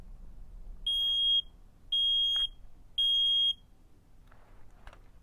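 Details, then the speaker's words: 9V smoke alarm overloaded on 18 volts during test: three piercing high beeps, each about half a second, roughly a second apart, extremely loud test pattern. "It was on 18 volts, so it went really loud."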